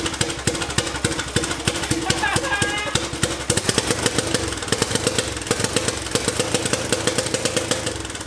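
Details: Turbocharged 660 lawn mower on first test run: loud, fast single-cylinder firing, choppy and uneven, never settling to steady idle; it then shut down unexpectedly, smoking with oil everywhere.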